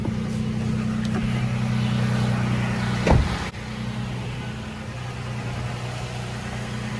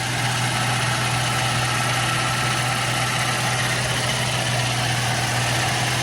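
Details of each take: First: Toyota FJ Cruiser idling, heard from outside, with blower at full: steady low hum, no grinding or hissing after cabin air filter replacement and noisy blower motor fix. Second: Toyota FJ Cruiser idling with the cabin blower on: steady rough grinding whir from a blower motor fouled by debris, first suspected pulley bearings, transmission or engine; grinding gone after fixing the blower motor and replacing the cabin air filter.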